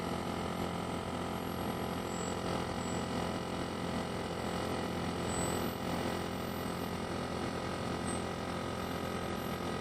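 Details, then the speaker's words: Vacuum furnace turbo pump at about 670 Hz, pressure still high above the millitorr range, so it accelerates slowly: a steady, even tonal whine over a low hum; normal spin-up. "So turbo is still accelerating because the pressure is high. It's having trouble accelerating."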